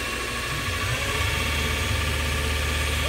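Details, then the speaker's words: Lathe spindle at 3,000 RPM on new V-belt setup, VFD max raised from 100 to 150 Hz, about 1.5:1 motor-to-spindle pulley ratio; smooth, quiet steady hum, no knocking or slapping. Belt flop noted around 1,600 RPM. Normal running. "3,000 RPM on the spindle. I'm not yelling at the phone. It's just smooth and quiet. I think you can ask for any better than that."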